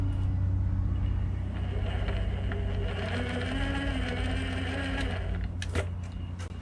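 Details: Onsra Black Carve electric skateboard, board lifted, left motor spinning after the motor mount and belt were readjusted and screws Loctited: smooth, steady hum with a gently rising whirr and no clicking. The motor sounds normal; the owner suspects imbalance in the motor or gear-to-wheel ratio.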